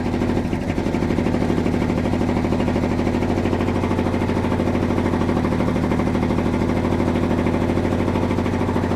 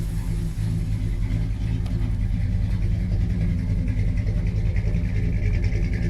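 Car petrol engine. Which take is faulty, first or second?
first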